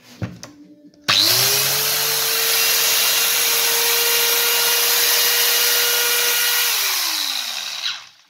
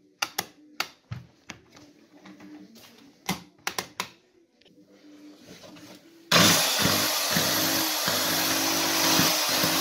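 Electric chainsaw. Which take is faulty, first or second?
second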